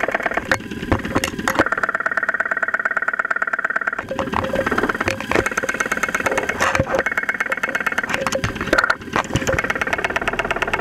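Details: 2001 Saturn SL2, run with very low oil, idling after two months unused, recorded with a stethoscope microphone; oil pressure about 35-40 psi at idle: sharp knocks about three a second, uneven over steady idle; engine knock, cause undetermined.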